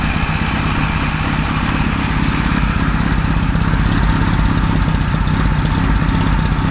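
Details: 1978 Kawasaki Z1-R four-cylinder on the stand after re-jetting (20 and 117.5) and carb re-sync: steady, even putter about three pulses a second, no stumbles or misses; normal idle, carbs evenly balanced.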